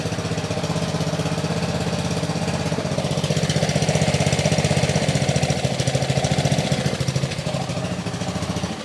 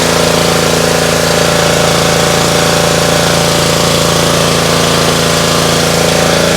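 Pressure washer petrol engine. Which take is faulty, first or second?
first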